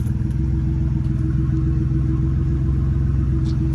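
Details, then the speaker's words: 1992 Ford Ranger XLT, 243,000 miles, just restarted on a replacement Mustang fuel pump: smooth, steady low idle with an even pulse and no sputter or hesitation; the engine is running normally. "it was the pump and i guess this pump is just really quiet so we got the ranger back week number two getting the trucks going"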